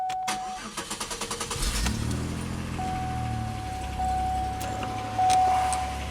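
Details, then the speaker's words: 2003 Pontiac Grand Am GT with hard-start complaint, battery tested 862 cold cranking amps, cranking voltage 11.16; about a dozen quick even cranking strokes, catches cleanly to steady idle; normal cranking and start. "sounded normal to me it cranked at 11 16 so that's good"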